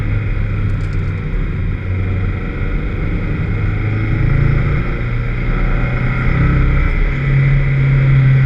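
Engine pulling hard but the exhaust note runs ragged and uneven, with dropped beats breaking up the drone under load: a misfire.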